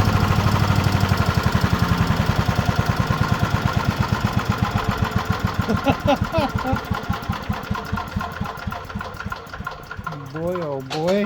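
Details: Chipper's older five-horsepower Briggs & Stratton single-cylinder, restarted with light choke after pull-cord repair and freed valves: small putt, about four firing beats a second, steady then easing off as throttled; engine running fine.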